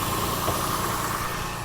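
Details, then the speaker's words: 2001 Chevy Lumina, moments after a rough start following long storage: steady, light idle hum with no misses as the engine settles and sounds better and better. Normal idle. "There She Goes she's sounding better and better"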